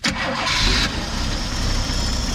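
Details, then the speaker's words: 1973 Mercury Comet GT, first start since owned, with fuel poured in: a short crank, then it catches and settles into a steady running idle. Running only on poured-in fuel points to the fuel supply, but the cause is not confirmed. "good Lord that whole thing run first start and since we've owned it"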